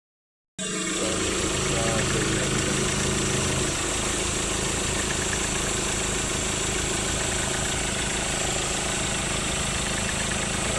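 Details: Ford Ranger idling: steady whir with fast rattling tick from the belt drive; tensioner and alternator bearing worn and need replacing.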